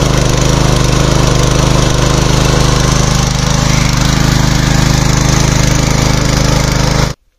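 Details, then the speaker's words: Small petrol water pump engine for farm irrigation, three months in use: smooth, even fast beat for about seven seconds, then shut off cleanly with the stop button; runs healthy with no misses. "ఇంతే అండి. ఇదైతే ఈ విధంగా చాలా సింపుల్గా start చేసుకొని of చేసుకోవచ్చు."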